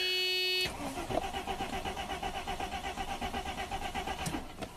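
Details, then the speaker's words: 1995 Mercedes-Benz E320 wagon, 3.2 L inline six, about 285k miles, owner says there is no spark. The starter spins the engine evenly at about four compression pulses a second, but it never catches: crank, no start. "okay crank no start good deal"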